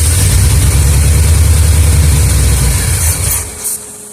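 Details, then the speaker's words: 1976 Olds 455 in a 1984 Blazer/Suburban after sitting 155 days: strong steady cranking about three beats a second that never catches. The frame-rail electric fuel pump hums but delivers no fuel to the filter. Plan is to bypass it and use the factory in-tank pump. "I am still not getting fuel I can feel the motor running I have the electric fuel pump on the rail of the frame and I can put my hand on I can feel it humming but we are not pumping Fuel"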